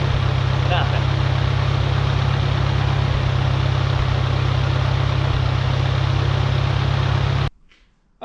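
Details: Farmall Cub tractor, 6 V battery at 6.34 V, running after new radiator install and generator rebuild: deep, steady low thrum with a regular even beat, no knocks or misses, healthy idle; radiator not leaking but generator not charging.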